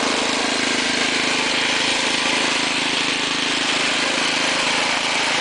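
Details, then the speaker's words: Ariens two-stage snowblower with 6 hp Tecumseh engine, trash-picked, throttle on fast, auger off: small single-cylinder holds a steady, even, buzzy run with no misses or surging; engine and carburetor working well, normal running. "And yeah, the engine runs super good. The carburetor works awesome."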